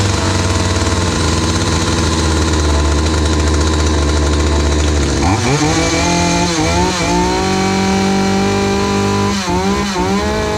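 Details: Hyundai 450 chainsaw after carburetor diaphragm replacement, which had dropped back when throttled and stalled while cutting: steady buzzing idle, then sharp clean revs climbing and dropping back smoothly several times; runs and responds normally.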